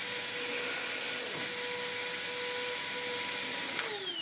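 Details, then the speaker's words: Well-used Vax Power Nano UCNBAWP1 upright vacuum, hose just unclogged, switched on: steady high motor whine with no brush-roll slap, and the brush roll isn't turning; its drive belt has failed. "well she runs the Belt doesn't the brush R isn't turning there you can see"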